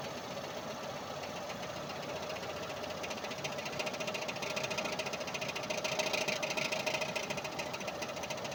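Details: Mazda RX8 rotary: light, fairly regular knock, roughly three to four per second, over a smooth rotary hum; torque converter knock.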